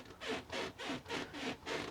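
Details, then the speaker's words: Caravan floor with delamination, soft at one end where chairs and barbecue are stored: rhythmic scratchy creaks with each step, a few per second, as the floor flexes; repair kit with dowels planned. "Yeah, this is right squeaky down this end."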